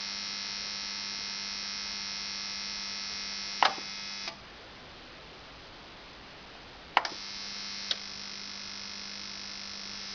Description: After 1h running time my TX-NR 709 sounds like an electric shaver.